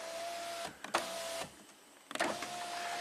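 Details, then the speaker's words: 2007 BMW 328Ci hardtop convertible, after tweaking the rear module bracket so the top module reads closed: front power window motor runs in two short smooth whirs with clean starts and stops from the buttons; relays and windows working again. "The relays work. The front windows are working from the buttons."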